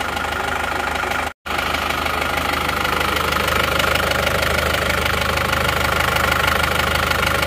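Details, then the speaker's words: Isuzu Panther diesel engine with a fast, fairly even tick about three per second over its rumble after all injectors were replaced; it idles evenly but ticks, suspected cause is either a slightly loose component or the newly fitted nozzles; unconfirmed. "sang nosel Elf itu kok rata tapi kok ada suara tek-tek gitu Jadi saya juga agak bingung nih"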